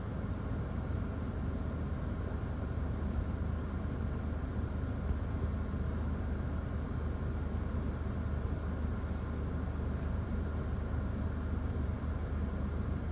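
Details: 2011 Toyota Corolla S stopped in Drive with the A/C on, after the intermittent faulty cylinder 2 coil pack and spark plug were replaced; a steady, even idle with no bucking or stumbles. Normal idle.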